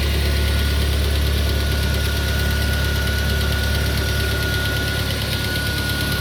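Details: Peugeot 407 2.2 petrol, cold idle, after new rings, valve lapping, new valve stem seals and cleaning of the auxiliary air channels, Total 9000 5W40 oil: steady, fairly even knock about three per second over the engine; cold-start knock, source undetermined.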